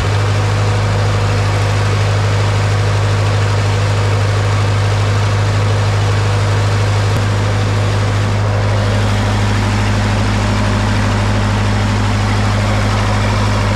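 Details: Old SA-200 welder engine after stuck valves repaired, warm after a few minutes running, moisture burning off, no leaks; steady even low hum at constant idle, no miss, knock or hunting; running smooth and healthy.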